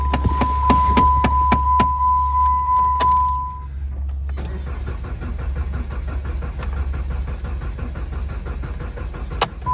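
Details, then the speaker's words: 2012 Jeep Compass cranks steadily at about 3.5 pulses a second but never starts, after a door chime; battery not low, booster connected; codes P0335 crankshaft position sensor circuit and P0522 oil pressure sensor; cause unconfirmed. "See, it keeps cranking but no start. Yeah, it's not the battery low though, so the starter motor is turning okay, and I also have a booster there."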